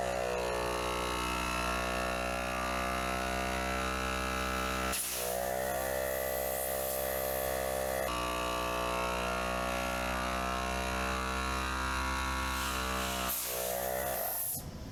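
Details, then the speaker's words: Harbor Freight 12V 150 PSI compact air compressor, 7 years old, test run after filter cleaning, inspection and lube: a steady, even motor hum at constant pitch for about fourteen seconds, then a clean shutoff. Healthy, normal running. "Well, works, not too bad."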